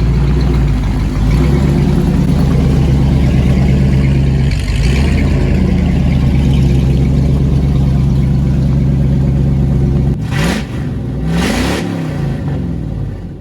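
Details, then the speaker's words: 1997 Ford F-250 with a 5.8 V8, sat for years, started on a cold day with little transmission engagement: deep, lumpy, loud burble with an X-pipe-like exhaust note and no knocks or ticks. Normal, healthy idle. "She sounds really good though. I'm actually shocked. For a 5.8, this thing sounds pretty freaking good."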